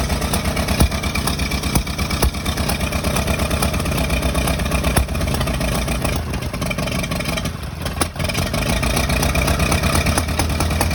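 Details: Engine running rough and uneven, irregular stumbles about two pulses a second; possible misfire, cause not confirmed.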